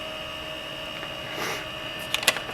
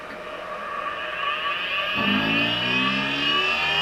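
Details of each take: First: Late-1990s Seagate Barracuda 7200 RPM SCSI server hard drive running normally: loud, steady high-pitched whine from the spinning platters with a few quick head-seek clicks. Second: Late-1990s Seagate Barracuda 7200 RPM SCSI server hard drive on a table: spin-up whine rising to a steady pitch with a wavering buzz on top; severe spindle vibration making the drive skate across the table.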